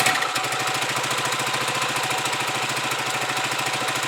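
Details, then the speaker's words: Huoniao HN125 Chinese motorcycle with newly fitted carburettor, warming up with choke off; quick even putter about three and a half beats a second, steady without stumbling, idling better than before. "Choke off. Definitely idling better. I'll just let that warm up."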